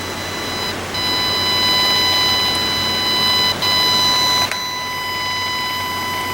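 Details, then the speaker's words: 1996 Monorail 7245 all-in-one desktop with colour LCD: a steady, piercing high tone with stacked whistles and brief dropouts instead of proper audio; speaker squeal from faulty audio output. "huh that sounds like that's not really [Music] working"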